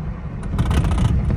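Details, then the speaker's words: 2013 Hyundai Sonata driven over railroad tracks: loose rattling clunks in the steering wheel over bumps, steering column feels loose and unstable; worn steering shaft U-joint knocking. "a bunch of noise in the steering wheel okay so this loose steering column business is quite unsafe and it feels very unstable"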